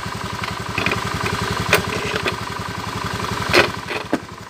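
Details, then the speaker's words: Scooter CVT after the belt fix and the cover closed: even, steady idle pulse with no rubbing or flapping from the belt case; normal quiet CVT belt drive. "nah Langsung halus suaranya ya"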